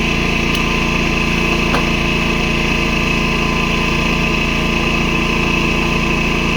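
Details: Predator 11,500 W inverter generator, broken in, powering an inverter welder from the 240 V 30 A outlet: steady, even drone with a constant hum on top, holding speed under welding load; running healthy, owner notes the noise.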